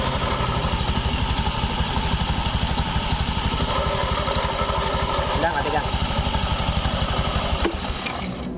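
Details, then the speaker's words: Honda automatic scooter idling with CVT cover removed: harsh gravelly rattle, smoother when the wheel is turned forward, from a worn needle bearing in the rear (secondary) pulley. "ini suaranya kasar Tapi saat diputar roda ke depan dia Suaranya lembut nih"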